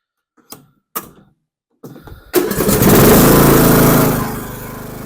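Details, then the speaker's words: Troy-Bilt Pony 42X riding mower after the carburetor and linkage were refitted, brake on; before repair it barely ran and acted choked. A few clicks, then it catches, revs briefly and settles into a smooth, even idle: normal running. "that sounds so much better I have no clue what happened to this but I'm glad we got it fixed for him so they can go mowing now and runs decent"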